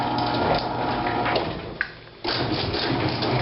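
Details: Steady, even rumble of a garage door closing under opener power after service and reattaching the opener, smooth with no squeaks or clunks; sounding pretty good.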